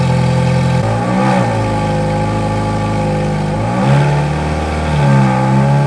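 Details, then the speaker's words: V8 supercar on winter lay-up, warmed up about 8–9 minutes at varied revs until temperatures normal: deep, even burble rising and falling cleanly with each throttle blip, no knocks or misfires; healthy warm-up. "We need to start it up and use various different levels of RPM to keep things as they should be."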